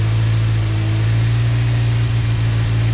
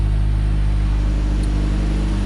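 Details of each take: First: 1990 Ford Ranger with a remanufactured long block, after reconnecting a PCV vacuum line that had caused a large vacuum leak: deep idle with an irregular stumble and uneven low exhaust pulses; steady miss consistent with an exhaust valve hanging open. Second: 1990 Ford Ranger with a reman long block, idling cold: deep steady rumble, no ticks or knocks, smooth. Misfiring and shaking appear only with throttle input, and the cause is still unknown at this point.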